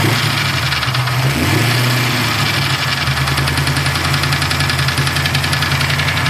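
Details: Freshly assembled Mustang 347 stroker V8 idling, with a fast light top-end tapping about three per second that continues when revved; owner suspects a lifter, unconfirmed.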